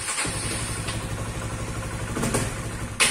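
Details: Honda CBR/CB150R injected engine fires and chugs unevenly for a couple of seconds, then dies abruptly when the throttle is blipped, with low-rev stumbling and an erratic idle.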